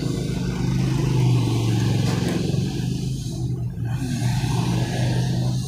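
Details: Tullu water pump motor that ran but gave little pressure, test-run after priming with water: steady low motor hum, even run, no scraping or rattle; pump running smoothly, normal running.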